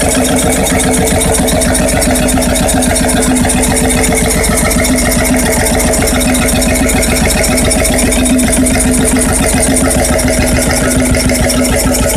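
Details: Freris-built Syros 1950-55 two-stroke 12 hp diesel, wick-started, restored 2014 and running after about 40 years idle: steady, even thumping at about 220 beats a minute, no knocks or misses; healthy.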